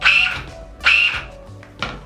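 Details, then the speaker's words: 1/10 RC car with 17.5 motor, tires held down, slipper clutch loosened a turn and a quarter: three short high-pitched whirring bursts on throttle stabs, fading quickly; slipper slips too much, fixed by tightening back a quarter turn. "a little bit too much so we'll tighten it back up that quarter turn that's just about right"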